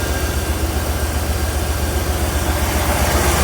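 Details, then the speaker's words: Porsche 928 at idle with lumpy, stumbling pulse about four times a second and visibly shaking hood; misfire persists after replacing injectors; cause not found. "i'm going to start the car you can see what i'm talking about [Applause] you can see the hood shaking"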